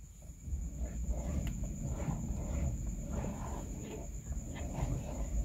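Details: Suzuki Baleno steering column: low, drawn-out groaning and rubbing as the wheel is turned back and forth; groan from dried-out grease on rubbing parts inside the steering column.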